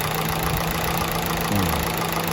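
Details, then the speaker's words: Factory-CNG Honda City idling, heard at the exhaust: heavy uneven lumpy beat with constant thumps, severe shaking; misfire fixed by flushing the CNG gas injectors. "อือันนี้ก็ถือว่าแรงหนักหนักมากนะตุ๊บๆๆๆตลอดเวลานะครับ"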